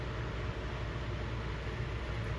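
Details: Airstream rooftop AC after cleaning dirty filters and grime under the cover, test run: steady, even fan rush with smooth low hum, no rattles or surging; running normally and blowing cold.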